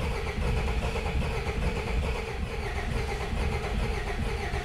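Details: Rusty non-running Peugeot 404 pickup that sat for years: steady starter churn, engine turning over evenly but never catching; cause not confirmed.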